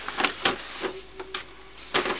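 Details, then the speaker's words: Used, dented HP Deskjet D4260 printer printing after CISS install: carriage rattles and clacks in irregular bursts with a brief whir between passes, louder than normal because of the dent, not the CISS. "now you'll hear this is quite a noisy printer that's because it's it's got a dent in it it's not a brand new printer"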